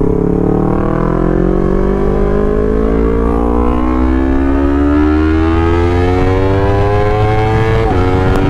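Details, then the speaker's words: Honda CBR250RR that previously stuttered and hit a limit around 6,000–9,000 rpm before warming up, after the fix, hard throttle on the road: engine climbs smoothly to high rpm without stumbling or cutting; idle also steady; normal revving. "sekarang dia udah mau nyampai r.000 r.000an ya jadi dulu benar-benar engak mau digaspol stasioner juga udah aman ya"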